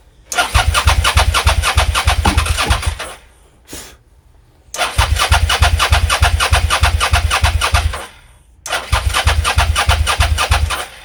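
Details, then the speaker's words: Suzuki SV650S that would not start, cranking with booster pack after battery dropped to 11.7 V; three long fast even cranking bursts with odd firing pops, some ignition but never catches and runs. "let's see if this makes any difference oh that's better much better we had some ignition in"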